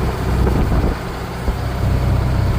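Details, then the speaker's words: Old Ford tractor working while silage-baling an 11-acre barley field. A deep, steady rumble under load with even firing and no knocks or squeals; the engine is running healthy. "Anyway, the old Ford's running king."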